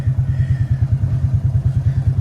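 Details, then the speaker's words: Quad bike runs fine at 13.6 volts but over about 14.5 volts, at 16–17 volts, breaks down and bogs on revving; low lumpy uneven idle, caused by faulty rectifier overcharging, mimicking blocked jet, air filter, coil or plug faults. "13.6, running fine. Running fine, 15, 17 volts, break it down. 17 volts, it's running shit. Now I'll show you what's going on."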